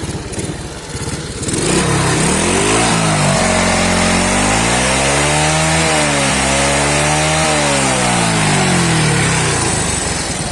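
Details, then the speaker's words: Very old Honda Astrea Grand motorcycle engine revved up and down: a harsh, rough sound with heavy smoke, oil leaks and fouled plugs; the engine was torn down. "lihat asapnya, teman-teman. Sangat berasap dan suaranya seperti, yah... Suaranya sangat kasar."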